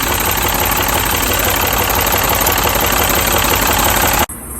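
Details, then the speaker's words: Mini petrol engine idling roughly with uneven stumbling pulse; unplugging each coil showed cylinder 3 coil dead, causing the misfire; fixed by fitting a new pencil coil. "so now we know that cylinder number three and plentiful number three is the problem because i took it off and it does nothing"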